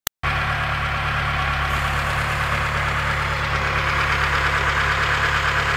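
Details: Mitsubishi 4G13P engine at idle with a faint irregular knock, a couple a second, over the engine note. A valve clearance problem is suspected, not confirmed.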